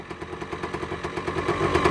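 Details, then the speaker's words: Cold first start after buttoning up the right side of the engine with a new gasket, two-stroke bike with CDI ignition: crisp, even popping at about eight beats a second, slowly building; clean idle. "The sweet sound of a 2-stroke. Listen to that. That is all there, guys. All there. Nice and crisp."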